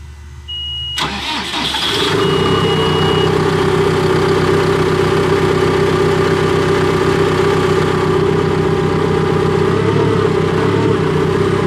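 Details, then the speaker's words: Cat D3K2 dozer with no DPF fault codes: cranks and catches in about a second, then runs steady but lumpy and laboring; plugged DPF restricting exhaust suspected, little flow felt exiting, not yet confirmed. "I don't think there's much else that's going to cause it not to run in a plugged DPF."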